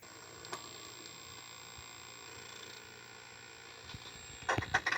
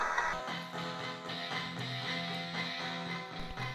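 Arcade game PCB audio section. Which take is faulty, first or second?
first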